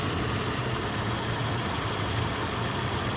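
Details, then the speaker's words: Toyota 4Runner idling after its clicking, no-crank starter was inspected and refitted: steady, even low rumble with no knocks, clicks or misses; starter problem solved and the engine sounds healthy. "Le travail est terminé. Le problème est résolu."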